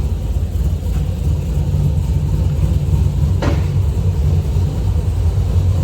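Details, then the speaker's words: V8 car with long-tube headers and SLP exhaust, after header tick fixed, heard from inside while driving: deep even rumble, no ticking or leaks; exhaust sounds sealed, normal note. "and O cam sounds good"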